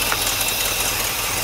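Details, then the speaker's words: 1964 Cadillac V8, carbureted, first runs after 17 years, warm idle after thermostat opened: hissy, chuffing edge with a light tick in the beat; exhaust leak on one side near the manifold, leaky valve cover gasket also suspected. "the thermostat did open it's hot on the top there is pressure so that is good we have an exhaust leak over here"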